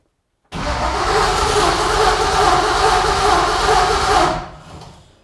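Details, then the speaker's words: Junkyard 6.0 LS V8 in a 1964 Nova, cranking about four seconds without firing: a crank-no-start because the chosen power wire cuts off during cranking. "so you're like I said before you're turning off right when under cranking the wire you picked gets turned off okay and that's uh not going to work"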